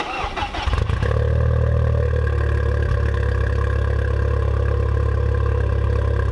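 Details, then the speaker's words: Stage 2 tuned B7 Audi A4 with 2-step, cold start at about 40 degrees: the starter churns briefly, then the engine settles straight into a steady 900 rpm idle instead of its usual 1200 rpm cold-start surge; normal. "that cold start was a huge letdown it went straight to 900 rpms sometimes with this ecu in i guess it's not cold enough today"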